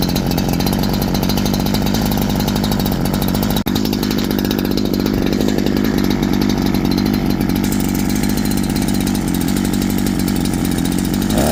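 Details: Holzfforma G372 chainsaw with 24-inch bar, after crankshaft seal replacement curing a factory air leak that prevented tuning: high, steady scream holds pitch in cut without bogging or surging; running clean, healthy under load.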